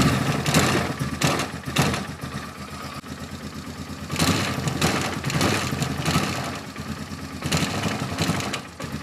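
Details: Polaris Sportsman 450 ATV on its restored original Mikuni carb, jump-started from a dead battery, enricher off. Lumpy idle that surges and sags and won't pick up revs. Bogs and won't take throttle although the slow circuit is believed clean.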